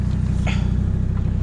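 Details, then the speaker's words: Mercedes OM605 turbo diesel with T04E turbo, drift car, full-tube exhaust with no silencer, warming up after start: steady rapid even diesel idle with no misses or knocks; normal, though the exhaust is a bit loud. "Donc c'est une ligne en full tube, le problème c'est que ça fait un peu de bruit, donc il faudra que je mette un silencieux pour que ce soit vraiment discret je pense."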